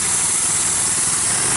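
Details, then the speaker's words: Two-engine off-road go-kart on a test ride: the small engine screams at a high, flat pitch with no change in note, while the clutch burns and smokes. Slipping centrifugal clutch; a grinding noise on braking was also noted. "Holy crap. You're burning up the clutch. Look at the clutch!"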